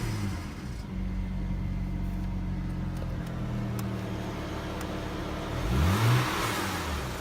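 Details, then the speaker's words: 2009 BMW 335i xDrive revved: smooth rise, then a brief tinny rattle flares each time the throttle is released; source unidentified, rattle on throttle release. "If you guys could help me out figuring out what this rattling noise is. Yeah, it only happens every time I let go of the gas."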